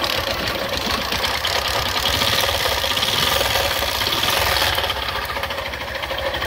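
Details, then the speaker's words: Old Bajaj Platina single-cylinder engine, bike left standing outside, running at idle before teardown: loud uneven rattle and knocking about three times a second over a rough idle; crankshaft worn, crank to be replaced from a donor engine. "भयानक आवाज आ रही है इसकी गाड़ी में से काफी भयानक आवाज आ रही है इसके इंजन के से इंजन के अंदर से पता नहीं कौन कौन सी आवाज कर रहा है"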